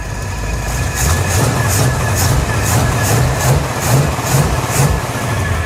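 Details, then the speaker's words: 1977 Chevy Monte Carlo back running after about 20 years: idle with a thin steady high whine from the power steering pump, which is low on fluid and was topped with transmission fluid. "Sounds okay, though. That power steering pump is whining."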